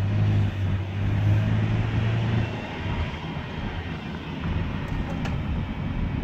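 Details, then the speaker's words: 2011 Toyota Sienna AWD pulling away: low droning airplane-like whine over road noise, worse with acceleration and gone when stopped, traced by a mechanic's stethoscope to the rear differential, a failing viscous coupler. "so it's like an airplane was about ready to take off the more you accelerate the the worst of noise gets"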